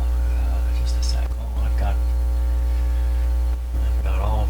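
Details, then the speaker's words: General Electric RD400 record player; a loud steady mains hum drowns out very faint music, reduced a lot by reversing the connections. The pickup gives only a weak signal even turned up full. "okay what can we hear with this nothing but the hum is too much let's try these the other way around oh oh see if that's any better hum wise it's a lot better A lot better okay well I can hear that not very strong but it's there it's not very strong at all"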